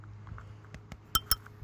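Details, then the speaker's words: Segway Ninebot Max scooter handlebar bell: light, irregular metallic clinks and tinny taps as the loose bell rattles, noted on bumpy surfaces and when turning. "the first kong would have to be the bell so it does work really well but the problem is on bumpy surfaces you're gonna heal it rattle like this"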